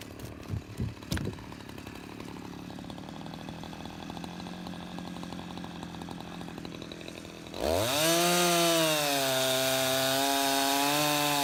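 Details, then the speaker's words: Husqvarna 353 two-stroke chainsaw, restored with gas line and chain drive work, carburetor just adjusted: quiet handling, then fires and revs to a strong steady high-pitched howl while cutting; runs clean and healthy, chain grabby and needing sharpening. "all right I think she's gonna run her so that's a 353 I'll run a couple of tanks of gas out of it and then put her on the market I think it's really good"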